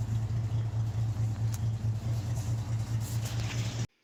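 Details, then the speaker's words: REO M-35 truck after head gasket replacement, idling: deep, even thump with light upper-end valve clatter, sounding much like before the gasket failed; the earlier misfire is no longer pronounced, though a slight higher-pitched difference remains. "And you can see here that it sounds a lot more even. It sounds pretty much the same as it did before."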